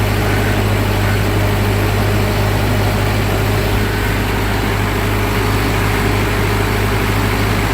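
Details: 1945 Ford 2N loader tractor after electrical rewiring, restarted and idling with a steady low rumble, no knocks or misses, charging slowly; alternator may be swapped later; healthy idle.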